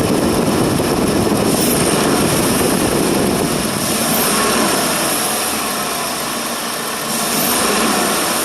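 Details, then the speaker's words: 2020 Ford F150 5.0L after replacing the bank 2 exhaust VCT solenoid: repeated snap throttles rise to a full roar and fall back cleanly with no rattle on deceleration; fix confirmed, normal engine. "well just all regular noise now no more like before so we're good that fixed it"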